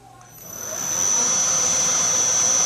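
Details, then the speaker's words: Bridgeport milling machine spindle motor on a variable frequency drive spins up over a second to a smooth, very quiet hiss with a thin steady high whine and no knocks. Normal spindle run. "you can hear how quiet this is. It's just terrifically quiet."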